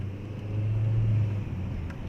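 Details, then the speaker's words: 1997 Opel Vectra 2.0 16V at 304,000 km, on a test drive after head gasket work, pulling up a ramp. A steady low drone, smooth and unstrained with no knocks or misses: normal running under load. "rampamızda şu anda çekişi deniyoruz çekiç güzel Maşallah var nazar değmesin araba gayet rahat dedi ustamız"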